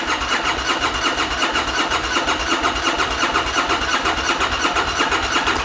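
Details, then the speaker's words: 2013 Bennche Spire 800 side-by-side with a newly installed ECU; owner wasn't sure the fuel pump primed: rapid, even starter cranking at about three turns a second, spinning freely but never firing; no-start, cause unknown. "Oh man, check that out. Dude, that thing is cranking over crazy fast. That makes me really, really happy. Now, I have to figure out why it's not firing."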